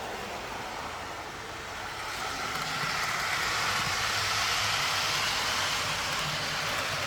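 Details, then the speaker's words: TT120 model railway layout: train passes from a quiet section with no cork into a section glued to cork on foam, where a steady hissy roar with fast even clatter of about four a second rises sharply; cork underlay amplifies the noise. "again it's really loud running on the C [Applause] that's so much nicer lovely okay so there we go right now the TT is running on the quiet section into the noisy section here we go back in the noise hear how loud that is"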